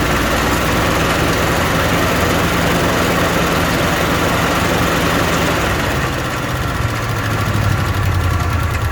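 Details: Old car with an old carburetor, bowl filled by hand: uneven, lumpy chugging that stumbles and sags toward stalling, as if starving for fuel; owner says the bowl isn't taking fuel and the fuel pump isn't pumping.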